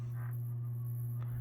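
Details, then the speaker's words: Sportscast Budweiser 42-inch brushed steel ceiling fan from 2001, new old stock unused for 20+ years, on low speed: a steady deep hum from the motor; bearings noted as noisy from sitting dormant. "I'm not sure exactly what it is probably just the globe still got a hum to it though on the motor"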